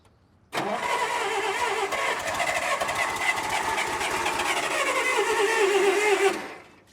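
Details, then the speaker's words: 1980s Bobcat 610 skid steer with Wisconsin four-cylinder gas engine, run hard: catches right away and settles into a steady, even run without misses or knocks; seller says it starts every time with no leaks; healthy start. "it cranks up every time runs good no leaks"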